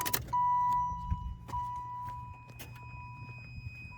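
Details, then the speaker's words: Limo with aftermarket fuse box install: key on, a click as the relay activates, then a steady high continuity beep around 1 kHz over a low hum between the positive posts; circuit working as it should. "And basically now when I flip on the key, we hear this relay activate, and then that brings continuity between the positive post here and then the one that we're gonna put on the battery. So we're gonna hear that beep once I put the key in the ignition here. And that means that the circuit is working."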